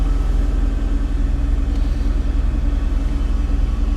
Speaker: whether or not though she's actually running really well it's very quiet